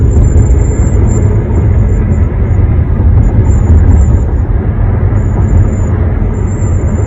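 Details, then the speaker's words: One-month-old 2021 Honda HR-V cruising about 60–65 mph, windows closed, moonroof tilted or opening: thin high whistle comes and goes in bursts over road rumble, heard driver's side; source not identified. "driver's side, whistling to wing 65 miles an hour. Whistling sound. 60 miles an hour. Window closed."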